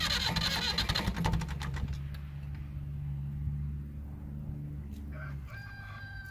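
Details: Massey Ferguson MF35 with standard A23C diesel engine, cold start with newly fitted Turner Engineering parallel glow plugs replacing the Lucas series type: clattery cranking for about a second, then it catches and settles into a steady, even low idle.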